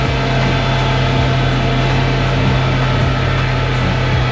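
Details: Mercury outboard that broke down moments after leaving the dock: loud drone with a regular tick or knock about every three-quarters of a second, abnormal internal noise, cause not yet found.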